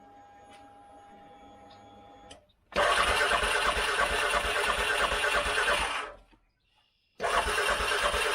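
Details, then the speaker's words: 2013 CFMOTO Z Force 6 after fuel pump change, filling filter and purging air: cranks hard about three seconds, stalls, then catches; owner suspects little fuel in tank. "I don't think there's much fuel in the fuel tank. Get the air out of it."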